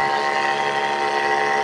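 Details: Mini 12 V DC booster pump package with automatic pressure switch feeding a small tank 3 m high, two taps opened: steady, even motor hum with a few clean tones and no rattle or surging; pump running normally, modest pressure.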